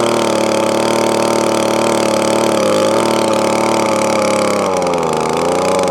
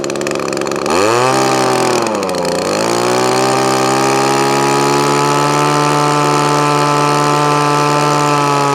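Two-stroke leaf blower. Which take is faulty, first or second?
second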